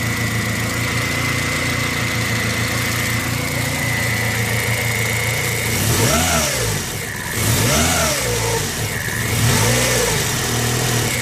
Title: Bad alternator bearings.